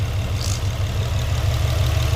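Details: Infiniti G35 coupe with LMT 4-inch intake, warm idle while glass cleaner is sprayed around throttle body to check for intake leaks: steady even low rumble, no hunting or speed change; no leak found.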